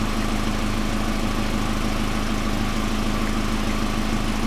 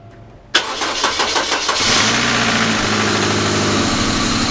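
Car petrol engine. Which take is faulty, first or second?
second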